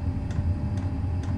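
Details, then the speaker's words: Chinese diesel heater burning kerosene, glow plug startup: soft clicks about twice a second over a low steady hum from the fuel dosing pump ticking normally as it starts. "and then the little uh ticking noise you've got in the back there is the the diesel pump as it starts up can be a bit annoying uh the ticking noise"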